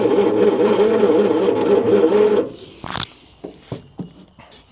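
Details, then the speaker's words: Long-sitting 1972 Bedford J series truck petrol engine, cranking on starter with spark, doesn't seem to turn fast enough; crank no start, distributor ignition timing later found out: slow, even churning for a couple of seconds that never catches. "To me, it doesn't sound like it's winding fast enough to do anything at all. But we'll see."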